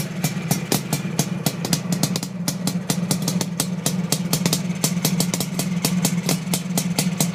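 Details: Suzuki GT500 two-stroke at idle; popping with sharp cracks at uneven spacing and some beats missing; misfiring at tickover.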